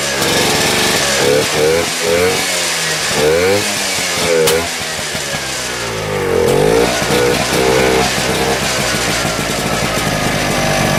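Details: 1972 Rotax 340 two-stroke for a Tomberlin CrossFire go-kart, running after JB Weld patched a port hole that was spewing gas, before the clutch is fitted. A raspy buzz rises and falls with throttle blips, firing steadily with no misses or knocks; healthy.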